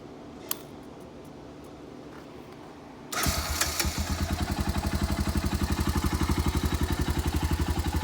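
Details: Honda Foreman 350 4x4 ATV, first start after rebuilding the rusted, rattling muffler by welding: it is quiet at first, then the single catches cleanly and settles into an even, steady thumping idle with no rattle or knock. Normal start-up and idle.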